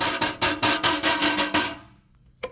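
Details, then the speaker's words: Ferrari 330 GTC: burst of sharp tinny metallic rattles about three per second then a single tap, heard while driving, from a loose muffler heat shield; nuts to be tightened or washers added. "when I was driving this car the noise I heard was coming from one of the mufflers and uh here it is"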